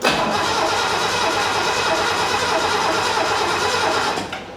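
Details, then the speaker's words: 1969 Mercedes donor car (for a 280SE drivetrain) with an old ignition coil, points not yet serviced, starting fluid available: even, brisk cranking for about four seconds that never fires; strong starter, owner suspects no spark. "You know, that sounds healthy to me. That really does. I don't know if she's getting any spark. We need to check for spark."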